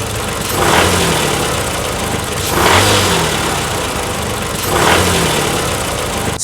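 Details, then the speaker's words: Toyota 2AR-FE 2.5 L four-cylinder engine running with a harsh metallic rattle swelling roughly every two seconds, heard at idle, in drive or on takeoff; cause is a failing balance shaft, which needs complete replacement. "pretty loud rattling noise. And the cause of that noise is a balance shaft."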